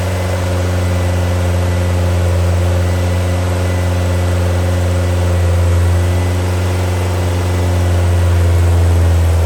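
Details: New Powerhaus 2110cc air-cooled VW flat-four, upgraded heads, dual 44 carburetors, on dyno after valve adjustment, warmed up: deep steady drone, even beat, no ticking or knocking over the exhaust under load; normal running.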